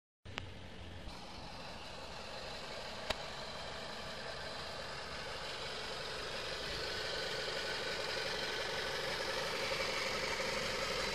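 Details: Renault Megane II idling with an odd, steady whirring hiss that swells slightly louder; strange engine noise, cause not known.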